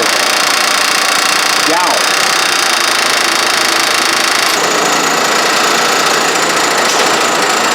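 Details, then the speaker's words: Honda 3.5L VTEC (Odyssey/Pilot) running, stethoscope on timing belt tensioner: harsh dense metallic rattle varying with rpm; tensioner likely lost its hydraulic fluid, letting the tensioner pulley slap. "I think that tensioner may be blown out, lost its hydraulic fluid, and then the tensioner pulley is just slapping."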